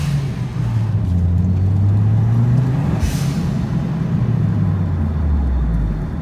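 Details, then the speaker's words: Turbocharged Mitsubishi Lancer road test after vacuum line, blow-off valve and boost controller work: deep engine pull under boost, then a short sharp hiss on throttle lift, the blow-off valve venting as it should. "Anyway, let me get up out of here. I don't know if you can hear the blow-off valve or not."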